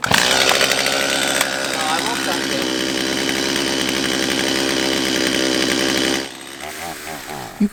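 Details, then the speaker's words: Father's old two-stroke chainsaw being restored: buzzes high and ragged, never clearing to crisp full throttle before dropping off; lacking power, possibly out of adjustment or bad worn carburetor, suspected. "clearly hear that this saw is just not getting it now there are a few reasons for this it could just be that the saw is out of adjustment"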